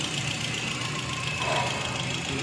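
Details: Toyota XLI with code P0354, wiring being checked: idling with uneven, slightly stumbling beat over hissy background, missing on a cylinder. Misfire at idle, cause suspected, not confirmed.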